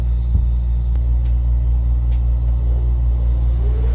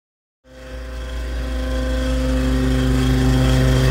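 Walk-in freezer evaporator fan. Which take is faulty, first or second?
second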